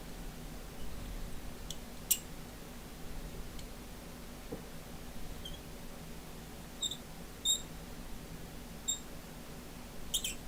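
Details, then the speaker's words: Bakelite rotary telephone dial: faint high chirps and scratchy ticks as the dial turns and runs back in a quiet room; the dial is badly corroded and its spring is suspected gone, making it squeak. "this is one of the worst Dales for corrosion I've ever seen and I think the Spring's gone in it as well can you hear it squeaky"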